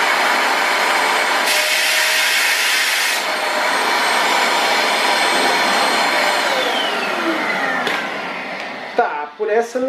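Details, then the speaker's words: Multilaser 2-in-1 1000W vacuum HO03 with nozzle pressed against the wall: high whine drops in pitch and roughens as airflow is restricted; power draw fell rather than rose. "eu achei que ele ia aumentar o gasto porque né tá forçando o motor não é que ficou mais econômico"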